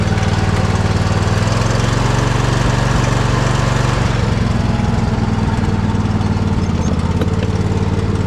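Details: Poulan riding mower engine running with the choke out, chugging with an uneven beat and occasional stumbles and pops at steady throttle. It is misfiring and needs servicing; the cause has not been found.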